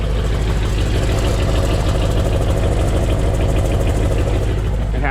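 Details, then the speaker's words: 1988 Chevrolet Monte Carlo V8 at idle: quick light ticking about three per second over the exhaust beat, first mistaken for a lifter issue; caused by loose spark plugs leaking, ticking went away after tightening them. "cutouts you can hear that little ticking ticket went away that's what i thought it had a [ __ ] lifter issue"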